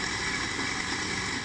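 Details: Automatic sliding gate opener motor running: loud, steady harsh hum with gritty edge; bearings (three 6203, one 6003) worn and badly rusted.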